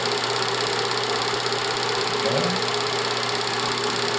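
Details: Bell & Howell Autoload 8mm film projector, set to Super 8 at normal speed, running forward: steady even mechanical whir with fine rapid chatter, no knocks or surges; running normally.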